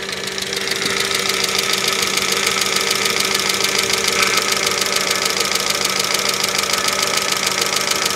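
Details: 2005 Mercedes ML350 (W163) bought with no oil, cold weather, during head gasket leak test: sharp steady ticking about two per second at idle, like top-end valvetrain chatter; owner suspects lubrication issues, not confirmed.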